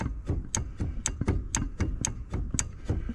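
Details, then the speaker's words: 2005 Honda Silver Wing scooter, rear wheel rocked by hand: uneven sharp clunks about twice a second from play at the rear wheel; owner suspects a worn rear wheel bearing, not yet confirmed. "yeah the whole thing is Lo so looks like we'll be doing a a rear wheel bearing on a Honda Silver Wing in the near future"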